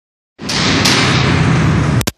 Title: Royal enfield misfire